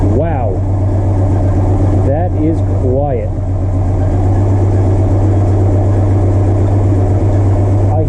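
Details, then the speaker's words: Supercharged Mopar Slant Six on first start after a new blower swap: smooth, steady low idle with a few brief chirps early on and a faint squeak, probably the belts, possibly the blower. The earlier blower's death rattle is gone. "hear the slightest bit of squeak. It's probably from my belts. It may be coming from the blower, but these all make a little bit of noise."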